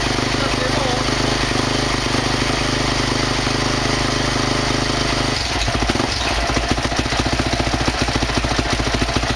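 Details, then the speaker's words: 2003 Honda CRF450 four-stroke single, first start after engine rebuild (seized rod bearing), started cold without choke, choke pulled after: steady hum into even quick firing beat that keeps running; normal idle after first start. "On a bien vu qu'elle a démarré, j'ai tiré le starter après en pensant qu'elle allait caler, et finalement elle tient très bien."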